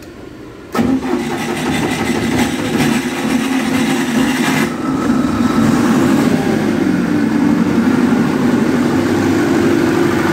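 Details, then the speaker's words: Cummins 50 kVA diesel genset after actuator coil replacement and fuel priming, started via a still-erroring control module before AS440 AVR fitting: cranks briefly, catches and settles into a steady, even, smooth mid-pitched idle drone; normal start. "Oke pemirsa engine tadi sudah hidup"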